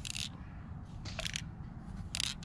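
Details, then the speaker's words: Polaris Trailblazer 325 EFI high-pressure fuel pump removed and tipped upside down: three short bursts of light metallic rattle of a small ball inside; suspected stuck ball from wrong fuel sitting long, starving engine of fuel, no-start. "you hear that little ball kind of bouncing back and forth so what he's thinking is that because i had the wrong gas in here in a sat for a while is that that ball is stuck"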